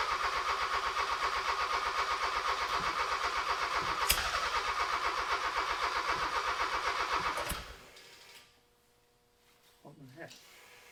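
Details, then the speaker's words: Honda K24-swapped sandrail on new harness and ECU, holding 55 lbs. Even cranking at about four turns a second for eight seconds with a couple of sharp pops, never catches; closest yet to starting: crank, no start with popping. "Still no start. It's so close, man. That was the closest it's been. >> It's popping. It wants to run."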